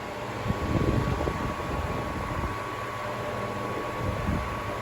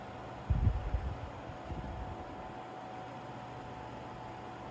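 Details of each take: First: Seabreeze Cool Sweep 10-inch table fan, 120VAC 60Hz, new old stock, on high speed: thin constant high whine over soft airflow; owner suspects dry motor bearings needing oil, not confirmed. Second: Seabreeze Cool Sweep 10-inch table fan, 120VAC 60Hz, new old stock, oscillating louvres running: quiet, steady low hum with a faint bump near the start, a little shaking within acceptable range; normal running.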